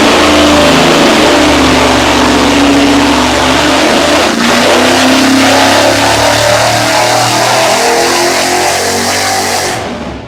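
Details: Supercharged Ford 8BA-style Flathead V8 on the engine dyno with custom headers. Loud sustained pull with a strong, even roar holding high revs before cutting off; healthy under load.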